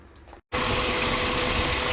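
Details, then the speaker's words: 2007 Ford Explorer XLT at idle after the noisy belt tensioner bearing was sprayed with WD-40 and rotated: steady idle hiss with no chirp or squeal; noise gone for now, though it may return and the bearing may need replacing. "think the noise is gone after putting wd-40 and rotating it for a while"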